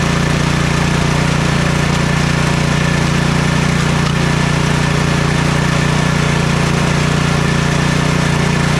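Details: Troy-Bilt Storm 2420 snowblower (model 31AS6KN2B23) after ultrasonic cleaning/rebuild of its Huayi carburetor for won't-start/surging complaint: steady low single-cylinder putter, even beat, no misses or surging; smoke is only debris burning off the muffler. Normal idle, running properly.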